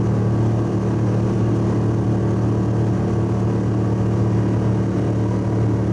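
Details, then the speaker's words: Subaru wagon, inside cabin on freeway at 100 km/h, 3,000–4,000 rpm under full load: deep steady booming drone filling the cabin from a fiberglass-packed, roughly 14-inch X-Force straight-through muffler, before swap to a Lukey Turbo muffler. "And so I'll give you a demo what it sounds like at the moment, and take it on the freeway up to 100 kilometers an hour, get it sort of 3,000 to 4,000 revs under full load, and you'll, on the inside of the car, you'll know what I mean and why I'm changing it."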